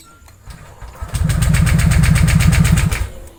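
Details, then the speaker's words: Honda PCX150 scooter cranks at about four even pulses a second for two seconds but never starts. The customer suspected the fuel pump, but the cause was sunken or stuck piston rings. "หมุนแต่สตาร์ทไม่ติดเครื่องหมุนแต่สตาร์ทไม่ติด"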